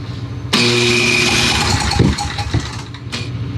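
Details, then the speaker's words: PowerBoss 5500 W generator, Briggs & Stratton 9.5 hp OHV, reassembled from parts: starter spins engine quickly and evenly about three seconds without catching; owner suspects low compression and a stuck valve blowing back. "it doesn't really have enough compression and it probably has a stuck valve because it's pissing back through here and i don't think you're just gonna get it to run"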